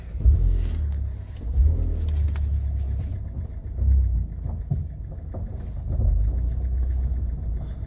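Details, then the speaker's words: Kia Cerato with 472,000 km, driving forward and in reverse: only even road rumble and no knocking from the doors after the worn door hinges were replaced, so the door knock is fixed. "ну что все провал тишина [музыка] задний ход это все ура ребят все сделали значит дело было петлях дело было петля"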